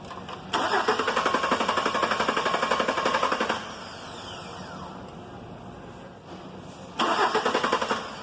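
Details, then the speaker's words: 2019 Chevrolet Silverado crew cab, 4.2 L gasoline V6, fuel gauge showing full: the starter cranks at an even, brisk chug for three seconds, pauses and cranks again but never catches; crank-no-start. "The problem is engine cranking Only cranking But wont start this is V6 engine gasoline 4.2 liters so we check what is the problem"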